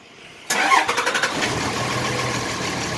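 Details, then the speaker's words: 2006 Dodge Ram 3500 5.9L common-rail Cummins, manual, 127k miles, swapped engine: after a faulty fuel rail pressure sensor is replaced with a known-good one, about six cranking pulses, then it catches and settles into a steady idle. "there it is so our fuel pressure sensor is bad it may need to be leaked we may need to change it because it has a crush end on it"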